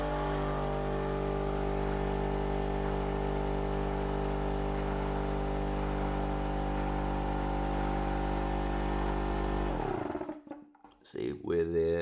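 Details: DIY air compressor converted to vacuum pump, with 12 V DPDT relays; vacuum switch cuts it off at about 25 inHg: even, steady hum of constant pitch, then a clean cut-off; healthy, normal vacuum pump running.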